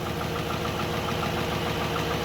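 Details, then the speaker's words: 2013 GMC Sierra 5.3L, 198,000 miles, just rebuilt with new lifters, camshaft, timing chain and oil pump, running without its fuel pump fuse. Steady even idle with a light fast lifter tick settling as lifters prime; good oil pressure. "Well, I guess it's just gonna run without a fuel pump fuse. It's running good."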